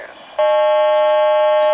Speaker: Now, that noise you hear there is the uh time and temperature. They're having a problem with it, and they've been having a problem with it for a couple of days.